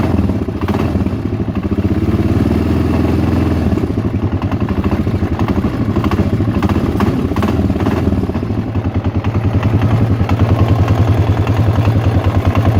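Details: Yamaha XT/TT 600 E single at steady idle with a dry clattering tick on every beat; the source of this abnormal engine noise is unknown.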